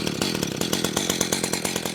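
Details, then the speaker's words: Echo CS-590 chainsaw after low-speed carburetor tuning: crisp, even two-stroke burble holding a steady idle around 2800 rpm without hunting or dying. Normal idle. "All right, see right there, 2,800. That's awesome."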